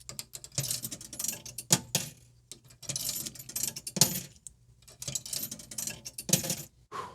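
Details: Hydro Thunder arcade cabinet coin acceptor after coin box work: tokens clink and rattle down through the mechanism in several quick groups with clean drops; acceptor taking coins normally.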